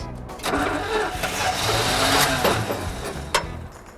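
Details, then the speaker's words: 1973 Chevy square body truck, sat 20 years, first crank with a fluorescent carburetor: starter cranks, engine tries to catch rough and uneven with a sharp snap; a rat chewed a spark plug wire in half and spark is jumping. "a rat chewed one of the damn wires right in half i can hear spark jumping and i got fuel all over we're gonna have a fire"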